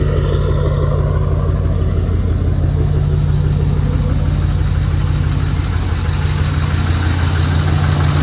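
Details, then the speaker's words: Copart farm truck after refilling antifreeze and oil, running an unknown tune from the previous owner, with exhaust being repaired: steady, even low rumble at idle with no misses or knocks. Normal idle, runs really good. "just got done with the test run here after i filled up the antifreeze and oil it actually runs really really good"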